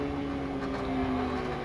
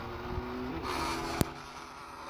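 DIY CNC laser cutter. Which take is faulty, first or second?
first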